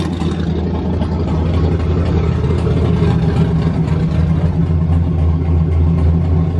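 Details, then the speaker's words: Turbo Mustang on first start with no gas pedal: temperamental at first then catches; even, steady low rumble with no knocks or misses, idling smoothly and running fine. "it's a little bit temperamental when you first fire her up but then she catches herself and she seems to run fine so that's it it's good boys sounds good"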